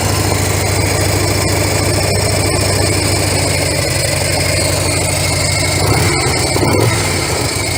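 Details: Harley-Davidson FLHS Electric Glide started on choke after both mufflers were repacked with fiberglass: uneven loping cold idle holding steady, soft mellow exhaust note, noticeably quieter, no knocks or rattles; normal cold idle.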